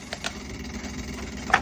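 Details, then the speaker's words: Kenmore fridge: steady low hum with sharp, irregular ticks from the back; the condenser fan blade is hitting the coils. "you see that the fan is hitting the coils thean okay I've unplugged it and you can see that the fan is hitting that's the noise we're hearing super annoyin"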